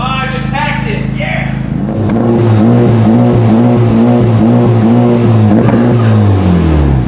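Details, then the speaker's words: 2020 Honda Civic Type R with new MBRP center-exit exhaust, revs limited; deep even exhaust note climbs and falls cleanly with revs, deeper and more audible than the previous exhaust, no rattles or buzzing, healthy. "there's a little bit more noticeable exhaust note while sitting in the cab. That's an improvement, because that's what you want to hear is a nice deep exhaust."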